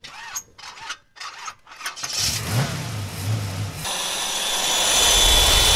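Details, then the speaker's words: Yamaha 150 two-stroke outboard, three carburettors: cranks, fires briefly with a rough burble, then dies. Runs on ether but not its own fuel; white sludge found in the float bowls, ethanol fuel suspected. Gummed carburettors. "what's happening is the motor's not running uh it runs on ether but it won't run on its own gas and i found that when we blew everything out of the bowls we got all this sludge"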